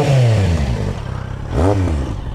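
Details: Motorcycle after engine refurbishment, earlier noise no longer heard: two quick throttle blips rise and fall smoothly, no rattle or scrape; normal running.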